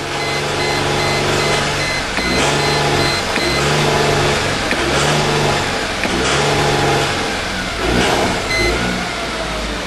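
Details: 1998 Mercedes E320 at wide open throttle after months of sitting: it reaches about 3500–4000 rpm, then surges, misfires and bogs. Random misfire on all cylinders persists despite new plugs, swapped coils and a cleaned MAF. Owner suspects plugged catalytic converters.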